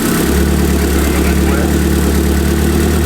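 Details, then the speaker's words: Van with newly fitted turbo on stock computer, first start at idle, with a massive vacuum leak and oversized injectors: steady low idle with faint metallic chatter; loose wastegate actuator bolts rattling, need tightening. "Yo, your bolts on the wastegate actuator are fucking rattling out."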